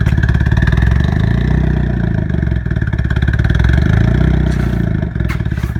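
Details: Newly bought 1994 Mazda Miata with turbo beside a heavily leaking exhaust manifold: lumpy, uneven idle with revs sagging hard twice, nearly dying at stops; owner suspects the leak is choking it, cause unconfirmed.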